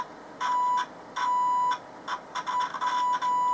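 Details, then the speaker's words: Vintage military-style long/medium-wave transistor radio on AAA batteries: a steady test tone cuts in and out, then chatters in broken bursts. A dry joint was suspected, but the cause was an internal open circuit in the 100 µF 10 V output coupling capacitor, which was replaced. "well that'll explain the audio problem actually dry joint and the output coupling we have discovered that as I was moving scope probe round"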